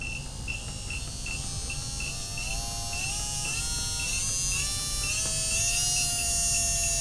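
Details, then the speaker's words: MN99s RC car metal gearbox and geared motor, greased with bearings in place, bench-tested as the voltage is raised: clean whine rising with voltage, light even ticking, no grinding; healthy. "fabulous it's doing good a at 1.3 Vols one volt a half a volt no"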